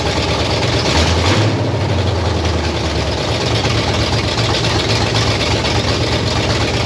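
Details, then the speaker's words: 1968 Pontiac Firebird V8 parked 30+ years, after new plugs, fuel jug topped off: engine catches and settles into a steady, deep, even idle with no misses or knocks; running healthy. "all right I ret topped off my fuel jug we going to see if this Joker will run one more time just cuz I want to hear it run"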